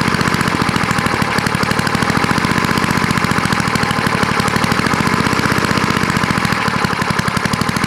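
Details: Vintage small single-cylinder snowblower engine after carburetor bowl cleaned with carb cleaner: pops along fast and steady with even beats, no misses or stumbles; running normally.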